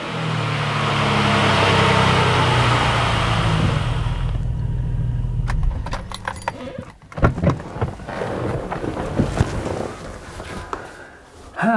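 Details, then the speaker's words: Barra-powered Ford BA Falcon after fitting a new Walbro fuel pump into the old assembly: a smooth, even idle holds steady, running normally. The pump is a touch louder when priming but barely more noticeable than stock while running. "Initial thoughts are that the pump is a touch louder priming, and sitting in it while running, it's not much more noticeable than stock."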